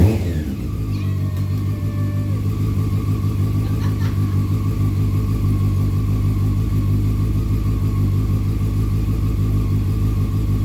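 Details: 2001 Honda CBR600 F4i after valve adjustment and reassembly, first start once headlight was plugged in: quick blip then steady, even idle with smooth exhaust note, no knocks or ticks; slight smoke from exhaust; normal running.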